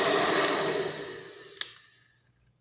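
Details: Formula 6000 Turbo hair dryer after disassembly and cleaning of hair packed under the loose fan that caused a strange noise; even smooth airy rush fading cleanly at switch-off, no rattle or scrape.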